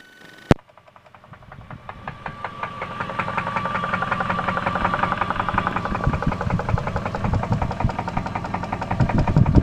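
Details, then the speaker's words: 1999 Jeep 4.7 V8, 214,000 miles, good oil pressure, idling: steady sharp knocking through the engine note, seeming to come from the bottom of the engine; cause not confirmed. "like it's coming from the bottom. Oh boy. She's the noisy one."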